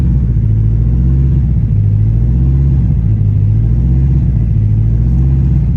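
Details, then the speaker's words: Freshly built 1000 hp turbocharged engine on first start during cam break-in, rpm varied up and down, oil pressure and coolant temperature good: deep, steady rumble with no tapping or knocking; healthy running. "So we're just doing our cam break-in right now. Letting the RPM vary up and down. Oil pressure is good."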